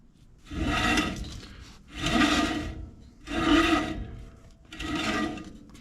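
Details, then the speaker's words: PJ 7-ton deckover trailer wheel hub, bearing just adjusted (snugged then backed off) during new brake install, turned by hand; four slow rasping swishes, light even drag, no grinding or knock; normal drag, bearing correctly adjusted. "You want to be able to hear it drag just slightly when it goes around."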